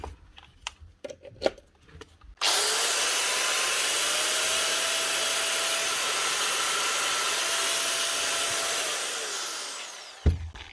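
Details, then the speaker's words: Bosch GWS 715 angle grinder after repair with new gears, new bearings and a clean: smooth, even high whine at steady speed, then clean spin-down with no rattle or grinding; running healthy. "Nice one. That's a good improvement. That's one Bosch GWS 715. New gears, new bearings, and a good clean. Ready for work again."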